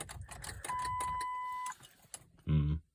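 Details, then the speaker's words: 2004 Ford Freestar with recently replaced battery, spark plugs, plug wires and ignition coil pack: one loud click per key turn with a steady warning tone, no cranking; won't start, battery near full, anti-theft issue suspected, not confirmed. "people are saying it sounds like an anti- theft issue so if anybody knows what that might be I'd appreciate the help"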